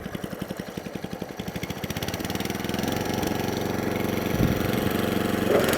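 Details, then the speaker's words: Atco Balmoral 20S electric-start cylinder mower after adjustment, idle nudged up: small single putters evenly at a slow, steady beat, no hunting or stalling; healthy idle, now fixed. "Just what's a little tiny, just a sliver. Not out too much. There, a nice little happy purr."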